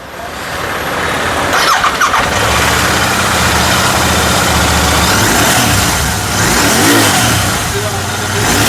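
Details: Royal Enfield GT650 twin after a starting and misfire complaint traced to a loose contact and blown fuse, started after fitting a new fuse; catches on the starter and settles into an even twin beat with clean revs: normal running.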